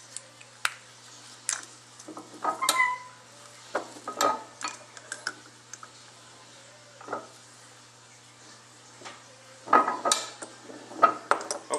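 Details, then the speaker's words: Repaired AW55-51SN/RE5F22A transmission linear solenoids shaken by hand after reassembly: light metallic clatter as plungers move freely, indicating fixed, healthy solenoids. "now that we have our solenoids assembled, I mean, they're nice and free and uh they shake pretty good. I mean, they rattle. Uh once you hear that rattle, I mean, you know that these solenoids are fixed."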